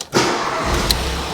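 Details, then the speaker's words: Ford Fiesta Mk7 EcoBoost salvage car, 59,000 on the clock, half tank of fuel: short crank catches instantly and settles into steady idle, no dash warning lights; normal start. "Starts straight up, no lights on the dash, 59,000, half a tank of fuel."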